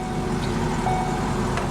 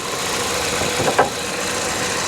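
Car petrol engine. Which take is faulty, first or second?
first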